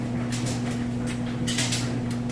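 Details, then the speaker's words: Whirlpool Cabrio electric dryer on heavy duty, high heat, with a wash load: even motor hum under soft swishing tumble, no thumps, squeals or scraping; smooth normal operation. "I've just got it on heavy duty which is high drawing yeah before you hit go you can shift these you got it run in here to warm it up a little bit [Music] as you can hear it sounds great"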